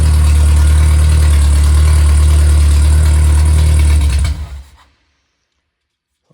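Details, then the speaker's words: Freshly rebuilt MG Midget/Triumph Spitfire 1500 performance four-cylinder (shaved head, flat-top pistons, 270 cam, balanced, about 190 psi compression, runs very well) holds a smooth, even low rumble for about four seconds, then is shut off; normal running. "Uh compression uh is about 190 uh across the board and uh it runs very well. It's been balanced."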